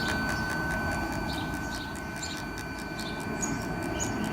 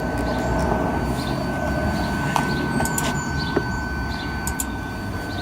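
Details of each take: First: Parking sensor tested with ignition on and reverse selected after continuous fault tone: faint fast even ticking, about four a second, over idling rumble, felt via screwdriver; sensor working. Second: Car parking sensor test with ignition on and reverse selected: steady warning tone changes pitch when touching this sensor, but the sensor itself makes no clicking, suggesting it is faulty.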